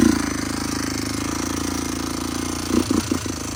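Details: Honda FourTrax 300 ATV at idle with a few throttle blips: a fine, fast, even ticking over the single-cylinder thump; owner suspects the timing chain, unconfirmed.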